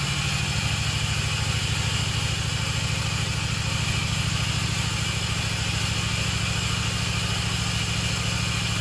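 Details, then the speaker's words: Engine idles fast and steady with even firing and no misses after first start with the key, mufflers and pipes fitted; owner thinks the idle is set too high and plans a professional tune. High idle, cause unconfirmed. "i really think it's idling way too high but i think a tune take it to somebody and get a good tune and go from there"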